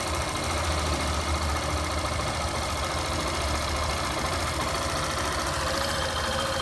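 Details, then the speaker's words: Fazer 150 single-cylinder motorcycle engine, cold first start warming up with idle slightly raised, after teardown for an engine noise: smooth, quiet, steady even beat; normal idle. "Motorzinho bem caladinho, ó."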